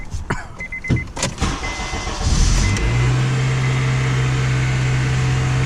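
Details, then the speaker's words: Honda with a throttle body connector broken by a previous mechanic, check engine light on: engine settles to a flat steady idle, rpm never rises when the gas pedal is pressed. "look at rpm if I press the gas pedal nothing happens I'm pressing the gas pedal down there nothing happened"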